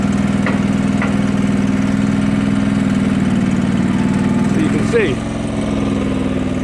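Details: John Deere 445 tractor with newly fitted Little Buck front loader: small engine running steady and even with a regular beat, holding speed smoothly as the loader moves; sounds healthy.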